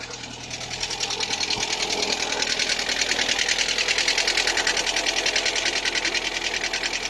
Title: Стук в двигателе на холодную Калина2